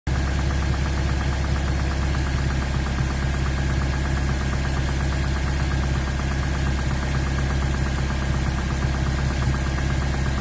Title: Miata engine knocking